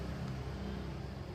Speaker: Bersih. Ini adanya suara kipas. Kipasnya menyedot keluar, bukan menyembur, biar dalamnya nggak begitu kotor, karena ini pesanan cuma buat perumahan, bukan buat rental.